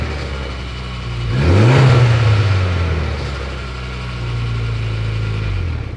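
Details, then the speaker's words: Mitsubishi Evo X idling, with a starter that fails to disengage, then revved. A harsh metallic rattle from the side of the engine appears around 2000–3000 rpm and fades as revs settle. The owner suspects the timing chain; not confirmed. "but as you guys heard when i rev it up it's like 2000 2500 3k somewhere in that range there's this rattle coming from the side of the engine i'm pretty confident something to do with the timing chain"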